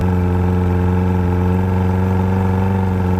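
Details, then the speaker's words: 2009 first-generation Evinrude E-TEC 130 hp two-stroke outboard being winterized, high idle lever raised: a steady, smooth, slightly fast idle with lights flashing as it enters fogging mode to inject extra oil; normal. "can hear the engine is now idling higher and the lights are all flashing this is an indicator that the engine has entered the fogging mode"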